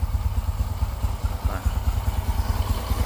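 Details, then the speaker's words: Honda Karisma motorcycle, heavily mud-fouled, after repair with replaced parts, started and idling: even, steady single-cylinder thump with no knocks or rattles; very smooth normal idle, con-rod and bearing still tight. "kampratnya halus karena udah kita ganti dan suaranya benar-benar halus banget tuh gak ada atau apa-apa benar-benar halus banget suaranya"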